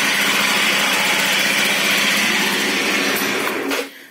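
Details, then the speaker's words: Yamaha two-stroke scooter with a whine the owner wants fixed: a steady high whir over the running engine, intermittent, with occasional odd scraping; sounds like a bearing, source unconfirmed. "Вот этот шум, кстати, очень похож на подшипниковый шум."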